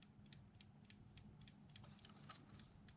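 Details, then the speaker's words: TORK A512H spring-wound in-wall 12-hour twist timer, unboxed and turned off: light, even mechanical ticks about three per second over faint room hum, still running down briefly; normal. "I just shut it off. It's still ticking. Sure, it goes for a little bit."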